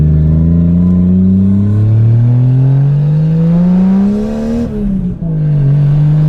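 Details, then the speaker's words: Lexus IS300 with 1JZ swap and stock turbo, drive-by-wire throttle issues: free revs climb smoothly and drop back cleanly to idle, making about 5 psi boost, no misfire or stutter; running strong. "Like if I rev it right now, it'll make 5 pounds of boost. It just made 5 pounds of boost. that sounds so good. Just revving it."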